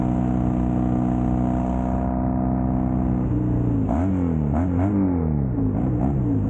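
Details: Custom Triumph Bonneville T100 with Down & Out drag pipes, after stage 1 torque kit and stage 4 ECU remap: smooth deep grumble rising and falling cleanly with throttle blips, no pops or backfires; healthy exhaust note.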